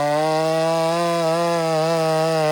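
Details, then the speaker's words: 372, 71cc, stock and unported, high-hours and worn out: high, buzzy two-stroke note that wavers and surges instead of holding steady; erratic running, owner suspects an air leak somewhere. "You hear that saw's acting right up. E, it's got an air leak somewhere."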